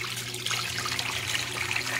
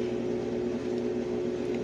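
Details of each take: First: Brastemp Ative 11 kg washing machine that won't wash or spin, set to spin: steady low drain pump hum under rushing, gurgling water as it empties the rest; pump works normally. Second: Brastemp Ative 11 kg washing machine that won't wash or spin, with motor and capacitor already replaced: a steady low hum as the motor tries to turn but the drum never moves, as if locked; the cause was a cracked solder joint on the control board.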